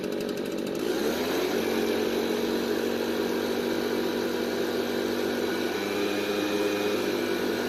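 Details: Garage-sale Redmax two-stroke backpack leaf blower, test run with the air filter removed: it picks up within a second and holds a steady, even buzz with no surging or stumbling. It runs normally.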